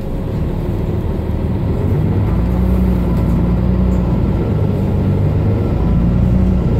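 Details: Mercedes-Benz Citaro O530 LE bus (OM457hLA 12 L 299 hp Euro 5, ZF Ecolife 6AP1700B with overdrive, 12,450 kg) while driving: road rumble with a faint steady tone that holds and shifts with speed. This is the only Citaro in the fleet with a noisy Ecolife automatic gearbox, whining.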